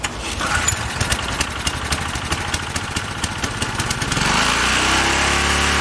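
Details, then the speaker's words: Ex-cell VR2500-1 pressure washer, Briggs and Stratton engine after rebuild, carburetor rebuild, valve lapping and governor reset: rattly cranking, then catches and climbs to steady even drone at about 3700 rpm top as specified; governor correct. "okay it's running at a like top it looks like 3700 as specified and that it's not a high load that's somewhere like around like 2900"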